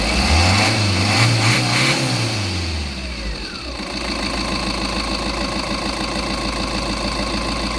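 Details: Tata Intra V30 that would not start with no power to the cluster because rodents chewed the fuse/relay wiring; after the wiring was rejoined it cranks, catches, revs briefly, then settles into an even diesel clatter at idle; normal start.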